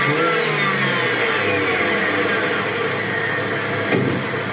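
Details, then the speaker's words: BMW 318ti petrol after replacing faulty MAF sensor (codes 2E95, 2D0F), which had caused unstable, high idle; revs fall cleanly to steady idle below 1000 rpm with no hunting and rev normally: normal idle and revving. "El ralentí está estable, acelera también perfectamente el motor y vais a ver que las revoluciones eh están ya donde deben, ¿vale?"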